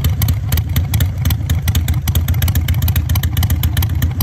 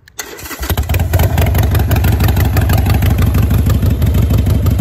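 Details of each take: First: Harley-Davidson V-twin fitted with manual idle air control valve, RPM dropped down: slow loping uneven thump at low idle near 900 rpm, steady with no clatter; normal low idle. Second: Harley-Davidson V-twin with manual idle air control valve replacing factory IAC, cold start: cranks, catches, settles into slow loping idle about three uneven beats a second; cold idle set too low, check engine light comes on.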